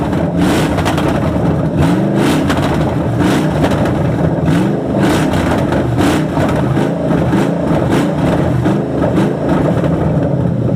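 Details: Crown Victoria with 2003 engine on stock 96 harness, dumping fuel: steady low rumble with faint uneven pulse about twice a second; owner blames ECU map not dialed in.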